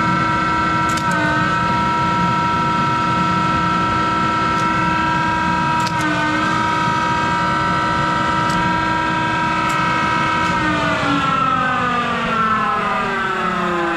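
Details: Monarch 10EE lathe, 3-phase motor-driven generator with vacuum-tube rectified DC spindle drive, speed being changed, with worn motor-generator bearings that need replacing: a steady loud whine over a rough rumbling undertone that shifts pitch with speed.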